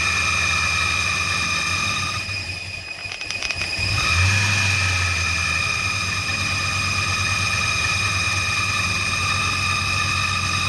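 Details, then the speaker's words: 1996 Ford Mustang GT V8, brake cleaner sprayed in intake, fresh gas added: uneven idle with steady whistle, sagging and catching, only running while spray is fed; engine runs only on starting fluid, fuel delivery problem suspected. "well it's it's only seems like it wants to run when I'm spraying the stuff in it but hopefully it'll get a little better here try it again"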